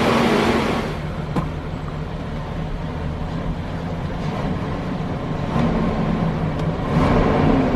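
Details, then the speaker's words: BMW 760Li, N73 V12, cold start right after engine air filter replacement: loud steady whooshing drone over smooth idle is the secondary air pump's normal startup run, active around 90 seconds. "If you're wondering what that loud noise was from this area on startup, it's actually the secondary air pump. It stays active for around 90 seconds"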